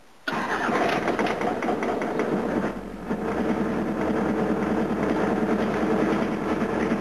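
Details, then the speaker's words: 1988 Toyota HiAce diesel van, cold start on a cold morning, glow plug setup fitted, water pump leaking: brief crank then uneven stumbling lumpy idle, one cylinder not firing well; misfire, injectors suspected. "you'll hear when it starts one of the cylinders isn't quite the happiest"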